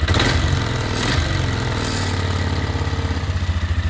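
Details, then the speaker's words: 1999 Polaris Sportsman 500 after fitting a missing Bendix gear and a new pull-start cover, idle not yet adjusted: steady single-cylinder thumping, even pulses with no chirp or rattle from the starter drive; idling normally. "got to adjust the idle but before I was making a bad kind of chirping rattling noise now it's quiet easy fix"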